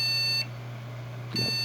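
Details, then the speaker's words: PC at power-on with no video signal: high electronic beeps in a repeating four-beep sequence, a memory error code meaning the RAM is bad or its slot is faulty, so memory isn't detected. "voy a encender el este esta computadora y como puede ver escuchar nos mandas cuatro objetivos es la tercera en la cuarta y se vuelve a repetir la misma secuencia"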